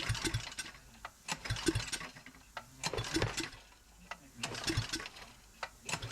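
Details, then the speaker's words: An engine is pull-cranked with the carburetor off during a compression test. Uneven pulls give weak puffs, and it reads about 30, which is low compression; it has used rings. "But as you can see already, Big's got about 30. It's even low on compression, but it's also got a set of used rings in it."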